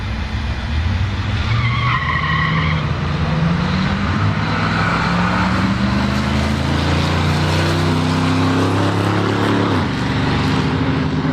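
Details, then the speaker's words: 1967 Buick Skylark V8 at a drag run with a double-pumper carburetor and no return line: pulls hard off the line, then pops and stumbles at full throttle as it runs out of fuel. "you could tell here that the car comes out of the hole real strong but you can hear it popping about halfway down the track it's running out of fuel again"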